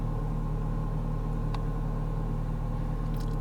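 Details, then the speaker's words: Neglected 2006 Ford Fiesta Mk6 1.25 Duratec at idle: a steady, even low rumble with no knocks, ticks or misses; the engine sounds fine and healthy. "the ending sounds fine and there's not really anything wrong with it"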